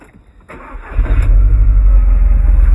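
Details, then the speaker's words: Low-mileage Audi TT Mk1 cranks, catches, then settles into a rough, lumpy, stumbling idle running on three cylinders from a faulty ignition coil pack; unplugging cylinder one made no difference, identifying it as the dead cylinder. "the engine is really rough it's only firing on three cylinders"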